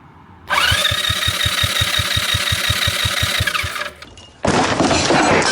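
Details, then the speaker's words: 200cc two-seater go-kart engine that won't start, cranked during a compression test: even, quick starter-driven puffs about five a second with a weak, airy chuff; low compression. "Oh boy. That's not good. Maybe we're losing some pressure somewhere, because that's pretty bad."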